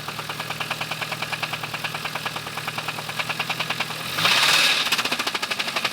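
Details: 1998 Mitsubishi Eclipse GST 4G63T: sharp, even metallic knocks about three a second at idle and following a rev blip; teardown found thrust washers in the oil pan and a spun bearing, with crankwalk, so crank and block were scrapped.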